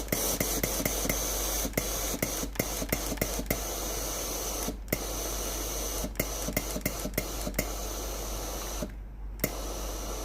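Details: Philips PSG7014 steam-generator iron with a no-steam complaint, during the diagnostic test before the pump is replaced: a steady steam hiss with light clicks and pops. The boiler and steam delivery work normally, so only the water pump is faulty.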